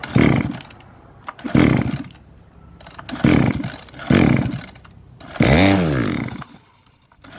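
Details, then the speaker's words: Model 411 two-stroke brush cutter: revs rise and drop on their own in repeated surges about every 1.5 seconds; two bolts holding the carburetor to the reed came loose, the carb flange no longer seals, fuel draw is insufficient; reed replacement needed. "น็อตยึดคาบูจากหลีดถอนหลุดออกมานะครับ2ตัวทำให้ตัวนี้ดันออกมาแล้วก็ทำให้แป้นแป้นคาบูนี้เข้าไม่สนิททำให้เครื่องเร่งไม่ดูดน้ำมันเข้ามาน้ำมันก็เลยเข้ามาไม่พอเรื่องเครื่องก็เลยเร่งบ้างติดบ้างไม่ติดบ้างนะครับ"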